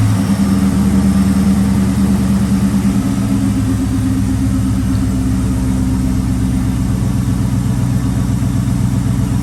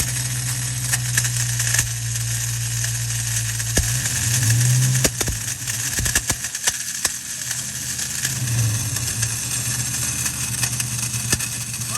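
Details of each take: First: Ford Mustang Bullitt after replacing a stuck starter that dragged on the flywheel: engine catches and settles into a steady, even low idle with smooth rumble, no grinding or scraping; repaired. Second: Ford Mustang Bullitt idling with harsh scraping rattle and irregular clicks, heard at the clutch inspection plate with belt removed; traced to the starter drive not retracting and dragging on the flywheel; throwout bearing ruled out.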